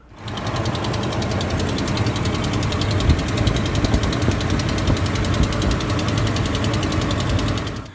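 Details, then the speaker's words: Mopar Hemi V8 (5.7 or 6.4 L) at cold start: fast, sharp, even ticking over idle from under the hood, typically fading within 5–10 seconds as the manifold heats; exhaust manifold leak, often at cylinder 8. "so this does make a pretty tail tail clicking noise from underneath the hood so it's actually pretty easy to diagnose and most often it actually occurs uh right there on the exhaust manifold at cylinder number eight"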